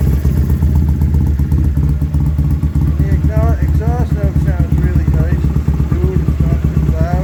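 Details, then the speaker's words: Freshly rebuilt BSA twin after setting ignition timing and adjusting carburettor, kick-started indoors: even steady exhaust beat at idle with crisp throttle blips, no knocks or misses; good oil flow, oil light off, charging, tachometer working. Normal idle and revving. "I'm really happy with the way that starts and sounds little walk around here that sounds really"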